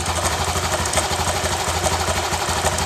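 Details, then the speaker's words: Honda Genio scooter, rattling "kretek" noise between right and left engine sides after sand was put in the oil hole and ridden a few days; uneven crackling ticks about three a second over idle; worn, loose crankshaft bearing. "jadi permasalahan motor ini di bagian lahar panggungnya yang kocak jadi suara itu yang diakibatkan dari lahar panggungnya"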